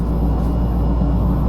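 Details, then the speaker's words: About 15-year-old fridge after replacing the compressor relay, run 5-6 minutes: deep steady low hum without clicking or stumbles; compressor and fan running normally, blowing cold air. "Alright, so I let it run for about 5-6 minutes now. So let me see here. Yeah, it blows cold air."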